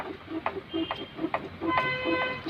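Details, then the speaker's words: Maruti Suzuki Wagon R steering box removed with crossmember: regular dull clunks about twice a second with a light click as steering turns, from pinion play; dust boot cover came loose, letting water damage the bearing. "സൗണ്ടാണ് steering ഓടിക്കുമ്പോൾ, അതായത് ഈ പിനിയനും ഒക്കെ ഉണ്ട്, അതായത് ഈ പിനിയന് play ആണ്. ഈ സൗണ്ടാണ് നമ്മൾ കേട്ടോണ്ടിരുന്നത്."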